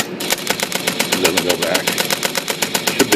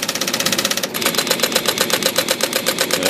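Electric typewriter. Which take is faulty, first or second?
first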